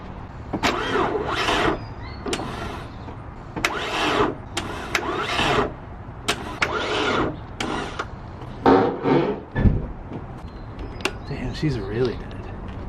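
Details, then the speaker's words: Motor-swapped car that overheated from leaking heater hoses: short uneven starter bursts about once a second fading without catching; battery flat, car runs and charges once started. "It's running. It's charging. So that just means this battery is unbelievably fucked."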